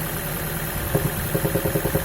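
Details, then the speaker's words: Toyota Prius (NHW11) engine at idle: regular deep knock about five blows per second that persists with ignition coils disconnected one by one, ruling out injectors and plugs; cause found: worn, spun crankshaft main bearings on two journals; main bearing knock. "Стучит. Вторую катушку. Даже меньше стучит. Третью катушку. Стучит. Четвертую катушку. Все равно стучит. С полностью отключенными катушками стучит."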